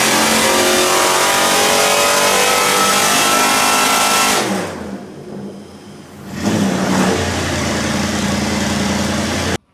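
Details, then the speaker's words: Supercharged 1UZ V8 Soarer drift car with M90 supercharger, new exhaust, Haltech tune, on the dyno under load (about 294 wheel hp): loud deep gruff exhaust, brief lift-off then strong pull; normal revving under load. "So yeah, you can hear from there, sounds pretty angry."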